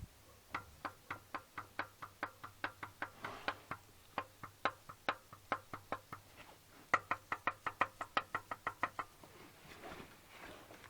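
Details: Kia Sportage 3 petrol engine at 80,000 km, dealer-serviced: sharp regular knock three to four times a second at idle, started around 60,000 km, dealer called it normal.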